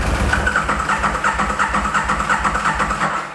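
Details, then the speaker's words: Aprilia RSV Mille Gen 1 standing about 10 years, nothing on dashboard, no fault codes: steady starter cranking near three turns a second with no firing; non-start from a disconnected fuel pump connector. "So basically this one is a non-starter at this particular point in time. If we turn it on and we try turning it over, it doesn't start."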